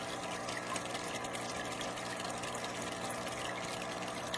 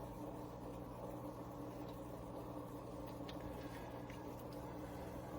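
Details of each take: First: Marineland Penguin Bio-Wheel power filter on a newly set-up tank, lid glass removed: steady motor hum with low buzzing under trickling water, audible across the house; owner blames the motor, not wall mounting. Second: Marineland Penguin Bio-Wheel 350 power filter on a 55-gallon tank: very faint steady hum with soft trickle of water drippage, no rattle or buzz; runs quietly.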